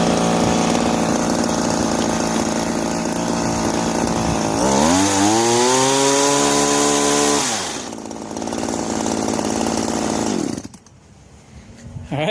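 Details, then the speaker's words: Owner couldn't start this John Deere "25" commercial two-stroke hedge trimmer. It now buzzes cleanly, revving up and settling without stumbling, on fuel smelling like race gas. It needs an air filter but runs healthy. "we got lucky will it run yep it'll run and it sounds good my 25 john deere commercial hedge trimmer it's a winner"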